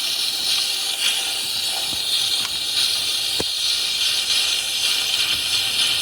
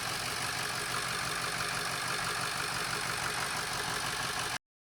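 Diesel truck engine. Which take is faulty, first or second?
first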